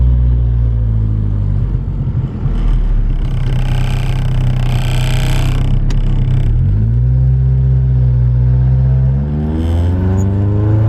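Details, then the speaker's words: Car on a test drive after reinstalling a removed part to cure bogging at full throttle: engine pulls cleanly through the gears, pitch rising smoothly each shift, no stumble or hesitation; normal acceleration, idle then around 850 rpm. "we're just giving this car a little test drive everything seems good uh there's no hesitation so far"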